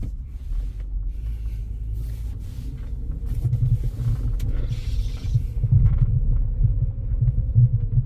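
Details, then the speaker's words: 2005 Lexus RX330 3.3 L, 229,000 miles, driving rough road: deep rumble with irregular thuds, creaks and clatter over bumps; worn rear and front strut mounts, worn front control arm bushings. "yeah see it's really bad that's all strut mounts in the rear and some in the front really bad"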